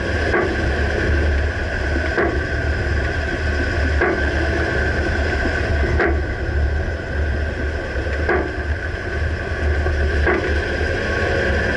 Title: Dodge Ram 2009 Clunking noise can't pinpoint - Rear Right suspension